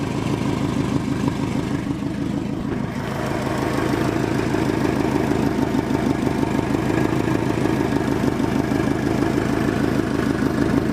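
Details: Subaru WRX with FP Blue turbo that spooled about 1000 rpm later than it should during tuning: idle rising into a rev with rhythmic puffing chuff on the exhaust note; exhaust leak confirmed, boost leak also suspected.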